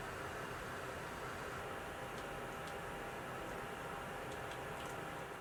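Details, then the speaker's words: PS4 Pro cooling fan gives a quiet, steady airy whoosh with a faint thin whistle while running God of War, the worst-case load; fan speed fluctuates with in-game activity. "fan speed is still present but you can see noticeable fluctuations depending on what you're doing in game"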